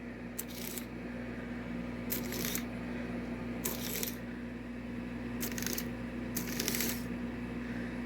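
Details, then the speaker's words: Restored Marx 999 locomotive motor, rust cleaned and oiled, track test under six volts: steady even motor whir with a few short clattery bursts, running fast; normal motor running, low power draw. "That's pretty good. I want you guys to see how much it takes. That's literally all it's taking. And it's flying."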